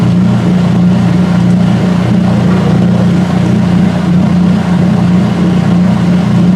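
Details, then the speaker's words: Washer drain pump near the end of draining during a spray rinse: steady low droning hum with a slow, uneven wah-wah surge as it sucks air. Drain pump cavitation. "The pump is cavitating. There is the spray ribbons. Spray ribbons."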